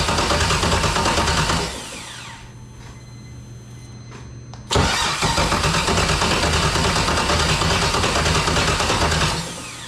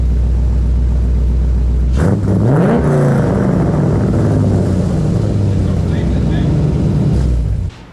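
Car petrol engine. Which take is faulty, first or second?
first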